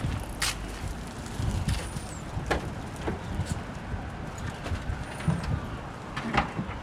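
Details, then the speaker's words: Car running with the muffler removed, exhaust exiting out the side; previously ran a straight header. Loud, raw, uneven rumble with sharp pops and no muffled tone; open exhaust without muffler. "Just for the fun of it, here's what it sounds like with with no muffler on it at all."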